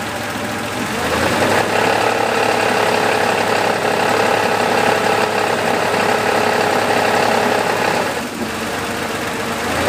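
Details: Porsche 3.2 engine running steadily with a rough, quick ticking clatter riding over it that holds even through the dip; a strange noise of unknown origin.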